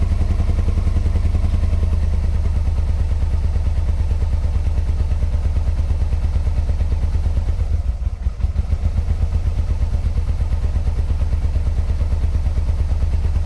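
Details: 1986 Yamaha Venture Royale 1300 motorcycle, 86,000 km, cold first start after 7 years on old gas and 7-year-old oil; idle thuds with loose clatter about three beats a second, slightly irregular, knocking blamed on old oil, cause unclear.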